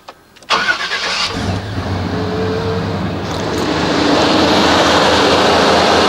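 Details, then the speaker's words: 1989 Chevy K1500 Silverado with Denso starter: short quick crank, engine catches at once and settles into steady idle; starter sounds unlike a typical Chevy, more like an import; normal cranking and start. "I don't know, I can't figure out what car that sounds like. But it's definitely not an American. It sounds like, I don't know, maybe an old Maxima."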